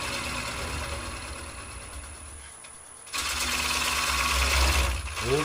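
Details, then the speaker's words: Woodturning an ogee bowl on a lathe at about 500 rpm: a fast regular rattling buzz rises as the cut goes on; bowl gouge chattering from pushing too hard. "that noise was me pushing too hard"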